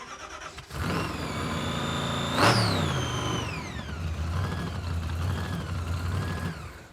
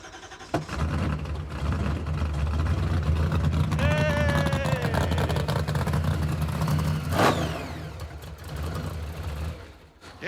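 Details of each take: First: Supercharged 426 Hemi V8 in a '55 Chevy, hot blower and throttle body, return spring not enough: starts, flares sharply, revs sag slowly and hang high; owners suspect butterflies sticking in hot bores, planned fix is a stronger spring; high idle. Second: Supercharged 426-based Hemi in a '55 Chevy, just restarted after swapping to the older, smaller Hilborn cast throttle body for better drivability: cranks, catches and holds a steady, even idle without stumbling; normal idle.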